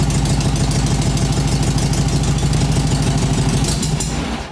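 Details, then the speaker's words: 1967 VW Beetle 1500, first start in years while indoors. Harsh, loud, rapid unmuffled idle because the exhaust has holes; it also needs a fan belt. Exhaust leak. "The exhaust has got holes in it which is why it's extra loud and it's indoors."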